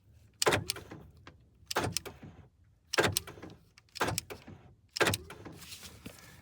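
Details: Newly replaced door lock actuator, tested with the door panel off: five crisp, quick lock clunks about a second apart, no hesitation or grinding; the actuator works properly.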